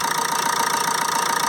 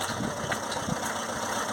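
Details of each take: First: 2007 Ford Transit Connect 1.8 TDCi, earlier crank-no-start with P0087 low rail pressure, idling with injector leaks checked dry: even idle with quick regular pulse and light clatter, no misfire; healthy. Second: 2007 Ford Transit Connect 1.8 TDCi diesel, crank-no-start with P0087 low fuel rail pressure; leak-off test found a faulty injector, which is blanked off. The engine starts, then settles into an uneven, lumpy clatter with one cylinder dead.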